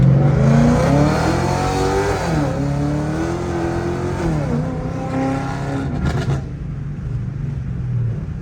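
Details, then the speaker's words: Pontiac G8 GT V8 automatic, driving under hard acceleration: pulls hard, then revs jump briefly between gears before catching; a transmission shift flare the owner says worsened from hard driving; replacement transmission already bought. "What y'all was just hearing, that's that flare that I have, and it got worse, of course, because of how I drive."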